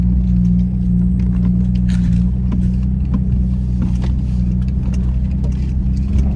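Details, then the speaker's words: MKZ driving after rebuilt front suspension with new hub assembly: steady, even road rumble with no clunks, knocks or grinding; earlier front-end noise gone, front end sounds healthy and much quieter. "Got a whole rebuilt front suspension now. I don't even hear it anymore. I used to hear it a little bit. Not a thing, brother."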